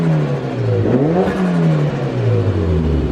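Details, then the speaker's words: Mitsubishi Evo after fitting intercooler piping and blow-off valve: revs climb and drop, and on lift-off a quick fluttering chatter follows; healthy turbo blow-off valve flutter. "You know, people might think, oh, what a waste of time, but we did it. That's actually good, and that's actually a really good blow-off valve."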